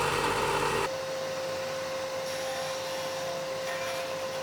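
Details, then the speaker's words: Biltema BDS915 band and disc bench sander after replacing a faulty magnetic no-volt release switch: steady mid-pitched motor hum, even tone with no knocks or rubbing; running normally. "Máy chà nhám sẽ khởi động và chạy ổn định."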